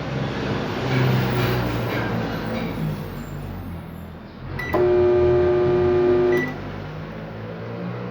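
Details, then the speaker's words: Microwave makes a harsh, loud high-voltage buzz and doesn't heat; capacitor or high-voltage diode suspected shorted; fixed by replacing the capacitor and diode. "buenos días gente aquí tengo un microondas que hace ruido y no calienta pueden apreciar el ruido lo va a hacer acá"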